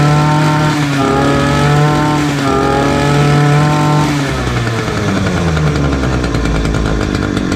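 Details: Titan multi tool two-stroke, previously hard to start, now with new fuel lines, new spark plug and fresh fuel: it catches and revs with a steady buzz, then runs evenly.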